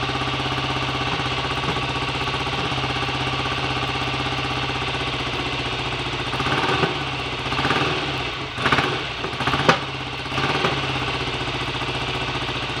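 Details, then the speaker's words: BSA A65 Lightning twin, first start after a full rebuild with a replacement crank, fixing 1.5 mm crank end float and timing-side bush play; carbs roughly set: steady, even idle with a few throttle touches, no knocks; normal idle. "okay that's not bad at all for a first attempt"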